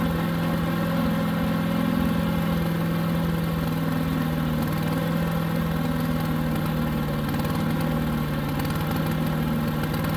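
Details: New Harbor Freight Predator 212 chipper shredder engine, fresh oil, running with choke about three-quarters on: steady, even idle only with choke mostly closed.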